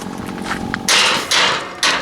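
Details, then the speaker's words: Pneumatic electric gate with compressor-driven rams, control box open, windy day: gate deliberately set to travel further so it closes slowly and clanks, sharp metallic clanks at end of travel, about three strikes over two seconds, normal closed-position clank confirming full shut. "so it clanks like that, because when I'm walking back across the car park, as I get back over there I can hear it clank, which means I know it's shut properly."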